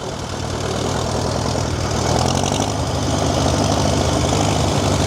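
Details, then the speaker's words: Tractor whose clutch sticks to the flywheel when parked. Steady, fast engine run that never drops back; the governor seems seized and won't return to idle, so idle stays high. "Well, the governor seems seized up on a not going back to idle."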